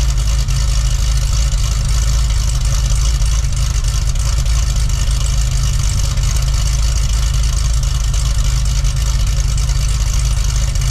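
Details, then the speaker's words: Cadillac CTS-V wagon V8 on a cold start with factory mufflers and cutouts closed: deep, steady rumble at a slightly raised idle with no stumbles; smooth idle, although a bank 2 fuel trim code and misfire were being diagnosed. "it's pretty reasonable uh with the factory Mufflers so let's give you an idea what it's like with that instead of the uh the cutouts open"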